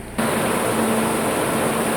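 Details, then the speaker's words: Peugeot 307 with coolant temperature sensor connector unplugged: the computer reads no sensor, enters protection mode and runs the radiator fans at full speed, a loud steady rushing roar; gauge falsely shows overheating. "de Görüldüğü üzere aracın radyatör fanı da en yüksek seviyede çalışıyorlar O sesi duyabiliyorsunuz araç Çünkü şu an herhangi bir bağlantı algılamadığı için kendini koruma moduna almış durumda"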